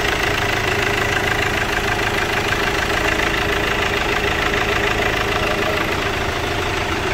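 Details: Chevrolet Captiva diesel after replacing stuck water pump, broken timing belt, timing roller and tensioner: steady, even diesel clatter at idle with no misses or knocks; healthy-sounding tickover.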